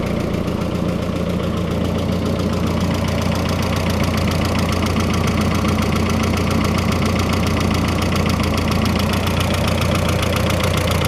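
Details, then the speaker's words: Freshly rebuilt turbo engine on first run, slight smoke off the turbo, filler cap off: loud idle with uneven clattery chatter about two beats a second over low drone, barely quieter with hood closed; noisy, source unknown, owner wonders if break-in. "I want to know why she's so noisy up the You see what it sounds like with the hood closed. Maybe it's quieter. No, it's not much quieter."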